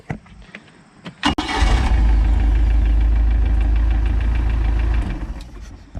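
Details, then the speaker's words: MerCruiser after Pertronix electronic ignition and Flame Thrower 3-ohm coil install, points, condenser and ballast resistor removed: quick crank, instant start, steady smooth idle with no misses. "oh that sounds nice and smooth too nice it's not quiet that is that sounds so smooth love it"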